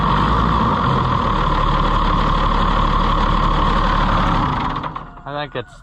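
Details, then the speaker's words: Oliver tractor: steady even engine beat of about four pulses a second with no knocks or misses, then shutdown; running normally. "yeah it's running good too so the way you were making faces I thought something was wrong"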